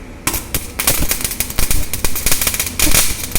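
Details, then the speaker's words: MIG/MAG welding with pure carbon dioxide shielding gas instead of an argon mix: harsh, irregular crackling and popping rather than a smooth sizzle, meaning excessive weld spatter. "This is not the perfect sound. So if we use carbon dioxide only, this only happens."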